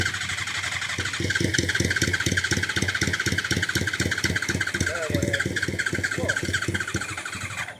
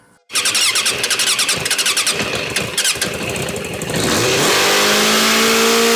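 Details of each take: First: Motorcycle catches and runs with a quick uneven beat for several seconds, then dies abruptly; stalls after starting, cause not found, needs fine tuning. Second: So I got it running pretty decent.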